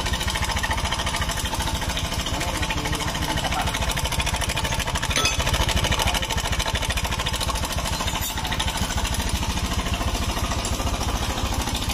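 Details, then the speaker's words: 2017–2018 Honda Scoopy scooter with a rough, noisy engine, idling with the CVT components removed: a fast, steady metallic clatter loud over the engine beat, traced to the cam chain tensioner in the engine rather than the CVT. "ih Ya jelas ya masalahnya bukan di bagian R si Fitri di mesin bagian ah bagian penekan keng"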